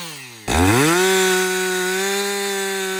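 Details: Husqvarna 562XP chainsaw after a shop software reflash for dying when hot, stumbling and not starting: it bogs as the chain bites, then climbs and holds a clean, steady high whine through the cut without stumbling or dying. Normal running under load.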